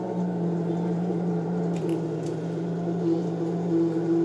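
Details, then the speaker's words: Consul CWC12A washing machine set to spin: constant low hum with a thin buzzing tone coming and going, starting even before the drum spins; pointing to a failing drain pump. "Nossa, não sei se vocês estão conseguindo ouvir o barulho, mas assim quando colocou na centrifugação, ela já começou a fazer barulho."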